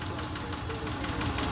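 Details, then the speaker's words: Subaru Forester petrol engine at idle: steady, sharp tick-knock about six per second over the running sound. Owner unsure whether it is piston slap or the tensioner pulley; cause unconfirmed. "Hey, what is this noise, guys? Please, any Subaru mechanics."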